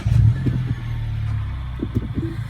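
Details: Mini Cooper S after replacing the downstream oxygen sensor for code P0420, driven some miles since. The engine catches and settles into a steady, even low hum with no knocks or misses: normal running.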